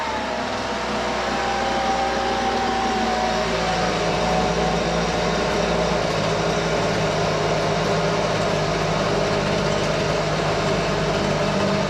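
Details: Husqvarna 125BV leaf blower two-stroke after carburetor replacement (previously wouldn't prime or start): loud steady buzz at even speed with slight waver; best in a while, owner thinks it may need slight adjustment; normal running.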